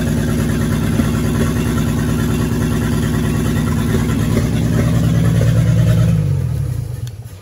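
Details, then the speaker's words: 1942 Chevrolet G506 old inline-six, first run after revival: fast steady even idle, no knocking, then shuts off; won't idle without choke, idle can't be lowered, mixture screw adjustment made no difference. "not bad at all at least she's uh sitting here idling doesn't want to without the choke and i can't bring the idle down at all"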